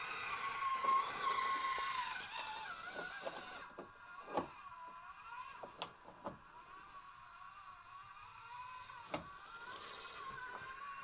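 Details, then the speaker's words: Axial SCX30 Bronco RC crawler with Furatech micro motor and stock transmission: thin wavering whine rising and falling with throttle over scattered clicks; dry noisy gearbox, owner plans grease, cause unconfirmed. "And yes, I know she's noisy. I'm gonna get some grease, some clear grease to see if I can fix that noise, because it's really noisy. It is the stock transmission in here too."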